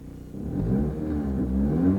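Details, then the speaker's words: 2005 Toyota Corolla, 1ZZ-FE petrol engine, manual: engine started and revved with a loud, raspy, uneven exhaust note from an exhaust leak that can confuse the oxygen sensors and set odd codes. "And realize if you get an exhaust leak like that, it's going to confuse the oxygen sensor system by having unregulated air going out of the exhaust."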